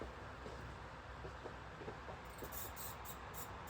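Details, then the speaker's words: 2000 Holmes HASF-1301 pedestal fan gives a light, repeating high squeak over the steady fan rush as it oscillates; owner thinks it may need oil. "it does oscillate although it does have a slight noise when it oscillates you're probably going to hear"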